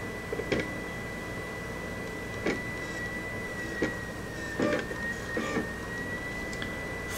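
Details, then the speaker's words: Polaroid portable USB Blu-ray drive loading a disc: steady high whine with scattered sharp clicks and short bursts every second or two, likely read/seek noises; clicking and seeking noise, cause not confirmed. "It's loading the disc. Apologies if this gets a little too boring. Those must be read write noises."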